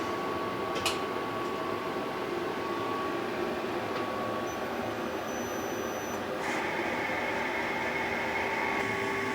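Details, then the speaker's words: Tormach 1100MX CNC spindle after repairing a lock-up, resealed and dry the next day, running at 500 rpm: steady even hum with soft hiss, no knocking or grinding; sounds fine before warm-up, later quiet at 10,000 rpm. "all right that sounds just fine i'm gonna let it run through a warm-up cycle and then we'll crank it up and see how it sounds"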